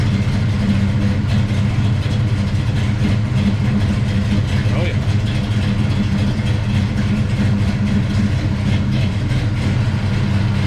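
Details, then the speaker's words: Big block Chevy Bel Air with Holley Sniper fuel injection at warm-up idle after the fuel lines were fixed, with the IAC slowly cooking down; the Sniper had been cleaned of black soot for surging. It holds a low, steady V8 idle with no hunting or surging. "yeah we uh we're cooking at the uh the IAC down on the sniper and it takes a while as you've seen on the handheld"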